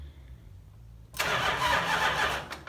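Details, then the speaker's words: 1970 Chrysler Imperial, Mopar 440 big block, sitting since 1993, test hit after tightening starter nut: starter spins briskly and evenly, sounds better than last time; normal cranking. "I'm gonna try a little test hit here on the starter see if she sounds a little bit better than last time"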